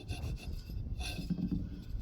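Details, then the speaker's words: 2000–2010 Chevy/GMC Tahoe/Suburban belt idler pulley, removed and spun by hand, dirt falling out: dry gritty uneven rasp; worn dirty bearing suspected as squeak cause, fix is clean and regrease or replace. "a lot of times when I take these pulleys off a bunch of dirt and crap will fall out of it um this one's no exception"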